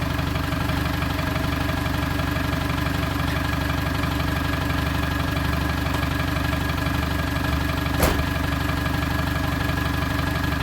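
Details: TDI diesel project vehicle, running after sitting 4–5 years in an exposed barn; fired straight up after oil was circulated and fuel pump plugged in. Even clatter about four beats a second, no misfires or stumbles; normal healthy diesel idle.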